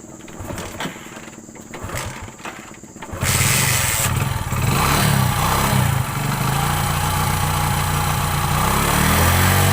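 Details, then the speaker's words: Passion Pro motorcycle that ran out of petrol and was refilled with at least 1 litre would not start because air in the line blocked fuel flow. Once this was cleared, the single cranks about three seconds, catches, and idles steadily and evenly; normal start. "इतना कुछ करने के बाद bike start हो गई। इसी तरीके से आप भी स्टार्ट कर सकते हैं।"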